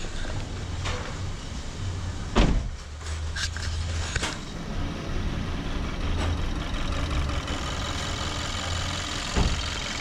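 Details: 2014 Kia Forte with check engine light and P0301, rough idle: lumpy, stumbling low beat from a hard cylinder 1 misfire; broken connector found at cylinder 1, plus a few handling clunks.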